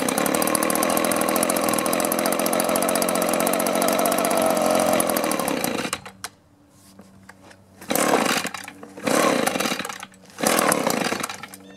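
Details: Echo two-stroke blower with an aftermarket carburetor, after a new plug: steady howl that cuts out and sputters in bursts; owner suspects the carburetor is clogged or gummed.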